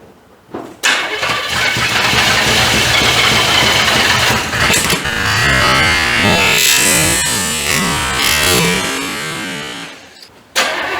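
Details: 1985 Chevrolet C30, diesel swapped to a gas engine, first start with a junk carb; lumpy, uneven stumbling run, seemingly firing on about 3 cylinders, heavy smoke; owner suspects firing order or timing; misfire, cause unconfirmed.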